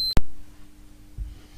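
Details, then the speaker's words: Mobility scooter electromagnetic brake coil's thin wires tested with a multimeter. A single sharp meter chirp shows continuity; the coil is intact. "we're going to test a continuity thin wires off the electromagnetic break itself the coil so we put the two connectors and the thin one and we've also got continuity"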